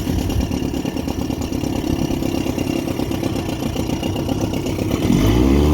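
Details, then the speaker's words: 1959 Elgin 7.5 hp two-stroke outboard, pond test on 24:1 synthetic mix, after points cleaning, new plugs and crankshaft end repair: steady crackling beat, revs up cleanly; runs healthy. "everything seems to be functional so we're going to uh give it a little run here on the pond today"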